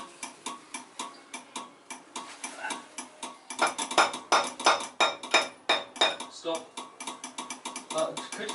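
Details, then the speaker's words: 1972 MGB GT restoration, rewiring: sharp dry clicks about three a second from the starter relay with no cranking; relay double-clicking while the wiring is being sorted. "If I can get the contacts together. It's clicking. Yeah, it's clicking. Yeah. Is that on the starter motor?"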